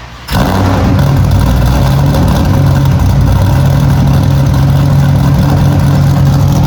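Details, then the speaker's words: Cadillac CTS-V V8 drift car after exhaust repair and realignment to exit out the back: strong, steady deep V8 burble starting crisply at idle with no ticks or hisses, normal exhaust note; cabin much quieter. "Sounds good. It sounds the same, just out the back."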